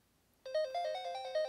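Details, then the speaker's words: Sega Game Gear with batteries installed, first power-on test: clean chiptune melody with clear notes and steady volume from the speaker, no crackle, buzz or dropouts; speaker and game working normally. "sounds good so far and the game does work"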